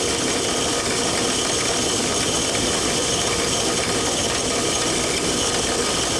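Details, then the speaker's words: Control valve cavitation test rig, inlet pressure raised from 100 to 150 then 200 psig. A steady loud hiss with a crackling, gravel-like rattle builds in noise and vibration, reaching about 108 dBA. "notice as the inlet pressure is increased from 100 to 150 psig and then to 200 psig that an increase in the level of noise and vibration is experienced under these pole conditions the sound pressure level is about 108 dba"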